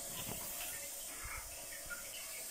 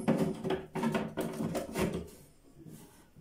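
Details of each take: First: bugünkü tamir videomuzda arızalı bir rezervuarımız var Sesten de Anlaşılacağı gibi rezervuarımız şu an için su kaçırıyor arkadaşlar Second: Wall-hung toilet cistern after removing and reseating black plastic flush valve seal: parts clatter, then steady even refill until float shuts water off; leak gone, fill normal.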